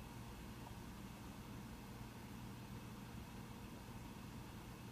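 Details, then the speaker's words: Mac Pro 1,1/2,1 with 32GB RAM running Geekbench 3: soft, steady airflow hush with no ticks, rattles or pitch changes; fans idle quietly, ramping up only slightly near the benchmark's end. "if you've noticed in the fans on the Mac Pro I'm not sure if you can totally hear it but the fans did ramp up in the last half minute or so just slightly it was still quite quiet"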